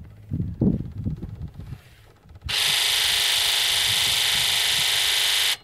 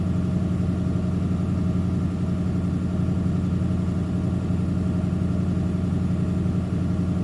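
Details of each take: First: Ford 7.3L Powerstroke diesel, engine off, injector buzz self-test run from a Launch X431 scan tool: a few dull knocks, then a steady hissing buzz for about three seconds as the injectors fire; number two injector is really weak, sticking. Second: Ford 7.3L Powerstroke diesel idling at slightly raised rpm while the Launch X431 scan tool runs its tests: steady, even diesel clatter with no misses or knocks, normal raised idle.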